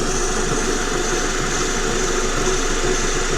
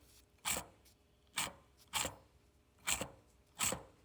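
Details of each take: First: Vehicle with a roaring noise only while driving, front axle lifted: engine hums steadily while the raised front wheel spins on its CV axle, and that wheel bearing runs smooth with no growl or grind; normal wheel bearing. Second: Rough, gritty support bearing on the removed old axle, turned by hand: five short uneven scraping bursts; customer reported a rolling noise only while driving, opposite side quiet; whole axle replaced with new bearing.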